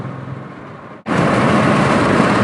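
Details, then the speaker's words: Road test at about 40 mph uphill with a misfire present: engine noise jumps to a loud, flat roar but never climbs in pitch, bogging instead of accelerating; cause still to be found. "now I'm going along about 40 m hour and I'm trying to accelerate up a hill and it just feels like it's bogging down it just doesn't want to accelerate"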